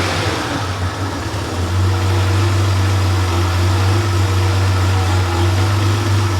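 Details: Freshly rebuilt Porsche 911 air-cooled 3.0SC flat-six built to 3.2 short-stroke specs, warmed up on a test stand: deep, even burble at steady idle, no hunting or misses; muffler has a loose baffle that may resonate; normal.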